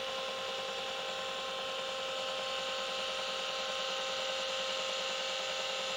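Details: Vintage Seagate ST238R 5.25in RLL hard drive, smashed in a paper mailer, still working: steady whirring hum with a faint uneven pulse; the spindle motor sounds a little tired, and a control board swap is planned.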